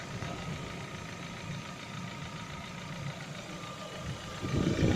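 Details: Lada Vesta with 70,000 km, warm idle, oil changed to 5W-40: it idles evenly and steadily with no ticking or belt rustle, picking up slightly near the end. It has a cold-start piston knock, not hydraulic lifters.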